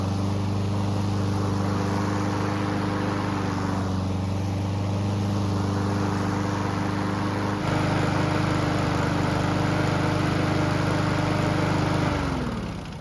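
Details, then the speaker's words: Honda lawn mower after repairing a hole and fitting a gasket, oil full, engine hot after several minutes' running: smooth even drone at steady speed, then clean wind-down at shutoff; no misses or knocks, runs healthy. "So, it's been running for several minutes, and the engine should be good and hot."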